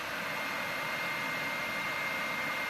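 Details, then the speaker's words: PS4 Pro in a game, fan keeps running about 10 minutes after full shutdown, before cleaning and thermal paste; steady loud airy rush with a faint high whine, audible even through headphones; loud cooling fan. "also like I could be playing for a while this thing won't shut up even if you wear headphones you'd still hear it"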